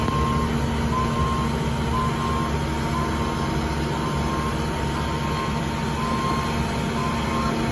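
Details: Cat 310 excavator: steady mid-pitched beeps roughly once a second over a constant diesel rumble, the reversing alarm sounding; cause not confirmed.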